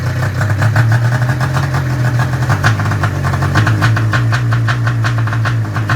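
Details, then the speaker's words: Arctic Cat ZR 440 two-stroke snowmobile, first start after rebuild on straight gas, still cold: low lumpy idle with uneven misses, tach reading zero from low voltage; idle set too low, needs idle screw turned up, rough running. "Probably where I'd want her to idle. Running a little bit rough right now."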